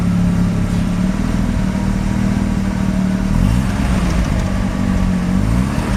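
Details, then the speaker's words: Mazda RX-7 rotary, extremely high CO (2.70), failed annual inspection: uneven stumbling idle, wavering low drone and irregular clatter getting rougher with throttle; misfires when throttle is pushed slightly; no oil pressure, no leaks; cause unknown. "I noticed that he's misfiring. It has a rug idle, it shakes a bit, and he makes a peculiar noise when I crank it for the first time."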